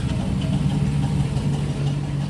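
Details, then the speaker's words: 2006 Chevrolet Silverado V8 on jack stands at idle: even idle with light metallic rattle underneath, heard after starter rattle was fixed; suspected cracked flex plate or starter hitting it, unconfirmed; idler and tensioner pulleys also noted bad. "sounds like the flex plate so I might be pulling the transmission off just to see if the flex plate got cracked or something the starter hitting it"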